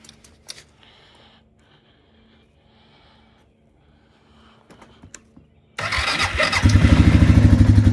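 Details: Suzuki QuadRunner 500 (1998–2002 model years) with a 4-year hard-starting problem, now started with the petcock on prime, key on, full choke and pumped six times. It catches at once and settles into a steady, even idle: normal start and idle.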